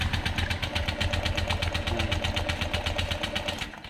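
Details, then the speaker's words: Honda Vario 125 LED scooter, radiator coolant spurting up even when cold: even chugging while cranking that never catches then dies; suspected coolant in combustion chamber, teardown found torn cylinder head gasket; cranks but will not start. "Nah, ini motor tidak mau hidup ya. kemungkinan ruang [Musik] bakar kemasukan air radiator"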